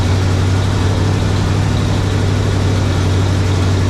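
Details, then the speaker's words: 1967 GMC 910 Custom truck, new exhaust just fitted, valve cover leak fixed, started with a battery booster in winter: steady even low idle with smooth exhaust note, no knocks or misses; normal idle. "so it's alive i don't know if you can even hear me or if you just hear the motor but we're live we're ready to go"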